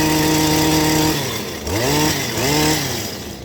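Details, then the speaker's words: Stihl hedge trimmer after fitting a new NGK spark plug: the two-stroke winds up to a high, clean scream, drops, then revs hard twice more, crisp and strong; the sluggishness is cured. "So it's a little screamer now."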